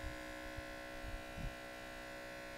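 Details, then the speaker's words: Skoda Octavia oil change, 12 V battery-powered pump sucking oil through dipstick tube via 8 mm silicone hose: steady motor hum with faint tone and low thumps, rougher as oil flows; normal pump operation. "включаем масло пошло слышно как ему печать он более грубо стала работать"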